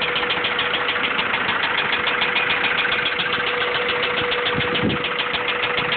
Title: b16 rod knock.3gp